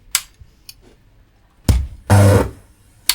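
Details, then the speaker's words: Musicson P-802 amplifier powered up through a current limiter after matched output transistors were fitted to replace a blown channel. There is a hard thump, a short low buzzing hum, then another thump; an abnormal power-up noise whose fault is not yet found. "Well, you hear that? It made like a funny noise. Yeah. So there's something wrong with this amplifier."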